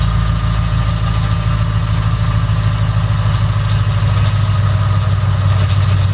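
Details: Car on its first startup after a used Magnuson supercharger kit install; deep, even idle with a low steady rumble and no tapping or misfire: the engine runs smoothly and holds speed.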